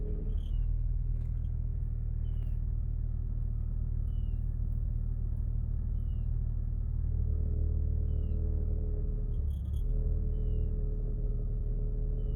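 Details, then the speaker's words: Jeep Wrangler idling at a pretend stop sign after throttle body cleaning with spray cleaner: steady, even low rumble from the cabin, no surging; previously revved and inched forward every five seconds. Alternator clutch pulley also popping out, left unrepaired. "even better much better just clean the throttle body you have to take it all out clean the throttle body it's not doing the used to make my car jump and stop signs like every five seconds it rev and the car would inch forward"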